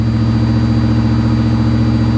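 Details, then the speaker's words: 1982 Chevy Camaro Crossfire Injection V8 after startup: loud steady burble staying raised and not idling down, dropping to about 1600 rpm; high idle. "well she's not going to idle down is she"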